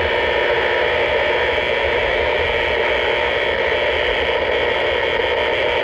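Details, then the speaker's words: Impulse-type interference heard on the AM radio while driving, also seen on 80 meters near 3.5 MHz on an SDR: harsh hissing static with a rough buzzing edge throughout. The owner suspects power-line noise and is locating the source. "I turn this back up. You can hear the irritating sound."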